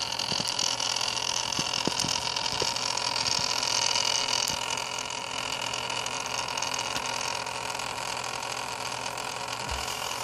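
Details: Antec Kühler 620 CPU cooler after only 3 months of use, with no tweaks or overclocking: a steady high hissing whir over a low hum with occasional faint clicks, a noisy pump.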